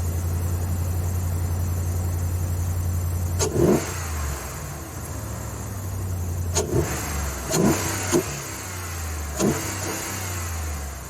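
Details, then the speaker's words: 4th-gen Ram 1500 5.7 HEMI V8 after K&N cold air intake (63-1561) install: steady low idle, then quick throttle blips each bringing a rising rush of intake air; healthy engine, normal louder induction noise. "Doesn't sound a whole lot different on startup, but you can sure hear it sucking in the air when you give it some gas."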